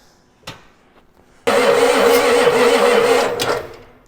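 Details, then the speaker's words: 1990 Ford F350 7.3 IDI diesel sitting 6 years, weak battery at 59% charge, air bubbles in fuel: starter grinds about two seconds with uneven chuffs, nearly catches, then winds down; cranks but won't start, owner suspects timing. "and it it's so close it really sounds like it's timing"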